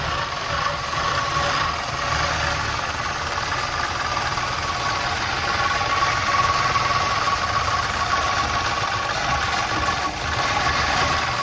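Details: 1961 Chrysler Newport big-block V8, first start after sitting for years; fuel pump working: steady, even idle with a faint light tapping over the exhaust rumble; sounds healthy.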